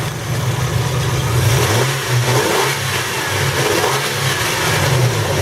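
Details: 2004 Nissan Frontier after replacing the ignition coil and ignition control module/crank position sensor in the distributor to cure no spark, no start: revs up and down smoothly with no misfire, stumble or popping. Repair successful.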